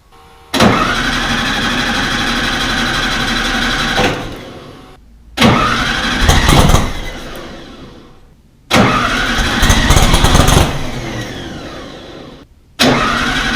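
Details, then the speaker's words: Rebuilt VW 1600 in a Baja Bug, first start after two years apart, after swapping 3 A ignition fuse for 5 A: three cranks, each catching into a ragged sputter then dying; all four cylinders fired briefly. Owner suspects low idle or over-choking. "So on that one, it did actually start to fire up. I just quickly felt the exhaust on all 4, so all 4 were firing for that short little spurt."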